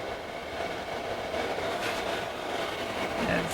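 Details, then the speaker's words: Hcalory diesel heater, newly assembled, lit and heating a garage with outlet air around 125 and rising: steady, even blower roar with a soft combustion rumble, no knocks or surging; running normally. "all right I think it's lit off this time I definitely can feel heat blowing out of there that's blowing a lot of heat holy crap that's exciting this thing's pretty awesome"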